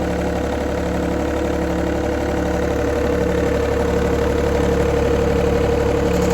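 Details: 1990s John Deere F1142 diesel mower, cold January, starter jumper-wired, fuel shutoff solenoid not working: small diesel settles into a steady, even idle with a regular low chug about four beats a second, no knocks or misses.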